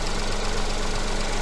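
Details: Petrol engine with coil-on-plug ignition, at idle while the oscilloscope trigger is set up for the coil signal. Steady, even low thrum at a constant pitch with no misses or knocks. Normal idle.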